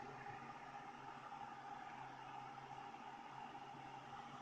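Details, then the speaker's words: Bitmain AntMiner S9 Batch 3 (12.93 TH) on its first power-ups with an alternative non-Bitmain PSU, still booting: only a faint steady low whir and soft hum, no rattles or whistles; normal quiet start-up before the fans ramp. "now as you can see it's just quiet right now it's cuz it's still booting up"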